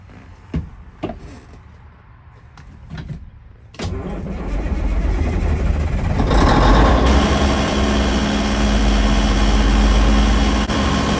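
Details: 1971 Peterbilt 352, after replacing the rusted air tank: clunks, then cranks, catches and settles to a steady even diesel idle while building air and oil pressure; sounds good, no major air leaks.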